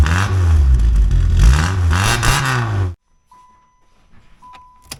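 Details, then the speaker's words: Yugo cold start with low battery after DIY raw-steel exhaust build with new muffler and mandrel bends: deep, clean exhaust note rising and falling with throttle blips, no leaks or rattles; starts and revs normally. "let's see this exhaust sounds really good sounds deep"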